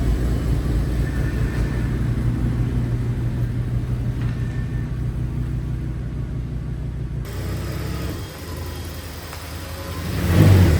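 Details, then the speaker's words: Audi S6 with 118,000 km, stored for months, driven after work on a steering clatter: steady road and engine rumble with no knocking or rattling anymore; steering wheel slightly off-centre left. "[Musik] Jo, klappert nicht mehr."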